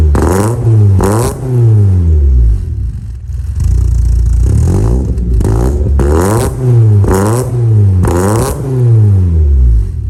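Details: VW Mk2 Golf GTI 2.0 8v project build, engine heat cycled a few times, in the garage: strong deep exhaust note climbing and falling through repeated blips, crisp and even each time; normal revving.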